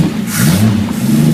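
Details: Overhauled carburettor being test-run on an engine with an electric fuel pump: brief hiss of intake air, then the engine picks up cleanly and holds a smooth, even rev without stumbling; normal engine rev.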